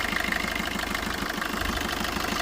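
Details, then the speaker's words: 2016 Maruti Swift Dzire VDI diesel, 107,000 km, no leaks: even, steady diesel clatter at idle with regular pulse, no misses or knocks; engine reported problem-free, normal idle. "ఇంజన్‌లో ఎలాంటి సమస్యలు లేవు; వాహనం మొత్తం మీద చాలా మంచి స్థితిలో ఉంది."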